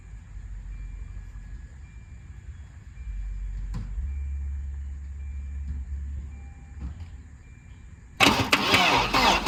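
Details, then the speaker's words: 1992 Volvo 940 wagon, long sat in woods, hotwired: starter spins the engine evenly but it never catches; injector pulse seems present, no fuel is coming through, so it's a crank no-start from lack of fuel. "Well, that's promising. At least it cranks. Sounds like we got injector pulse too, so it might start if we can get fuel to it."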